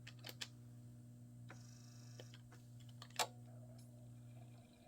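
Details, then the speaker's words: Sega Mega-CD drive: irregular soft clicks and a short strained whir over a steady hum as the mechanism struggles to move; drive belt found badly worn, absolutely trashed. "yeah that it is absolutely trashed yeah it's having a hard time it's having a hard time here"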